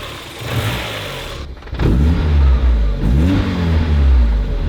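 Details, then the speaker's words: 30-year-old car restarted after not running for about a year; it misfired only at startup. Once warmed for about half an hour, two clean throttle blips rise and fall smoothly from a steady idle with no stumble: normal revving. "Steady now. That sounded good, man! It sounded good!"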